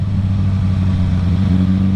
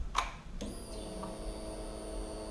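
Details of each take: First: 2007–2008 Suzuki GSX-R1000 four-cylinder: low, uneven drone with hesitations, a bad misfire below 8k rpm; aftermarket exhaust, Power Commander and air filter did not cure it; traced to faulty bottom fuel injectors, later replaced. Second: that sound is the fuel pump priming I do not see any leaks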